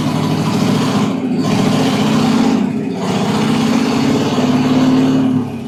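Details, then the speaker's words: 1969 Chevy C10 half-ton short bed, fire-damaged and first run in about 40 years after cleaning points, rotor and cap, new plug wires, gravity-fed fuel: settles into a steady, fairly even idle with light blips, running on its own. "Man, that's better. I wanted to hear an idle on its own."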